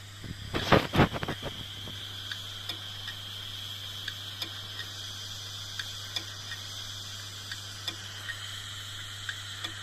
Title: 😭 HARD DISK CLICKING NOISE ( A DYING HARD DISK ) #shorts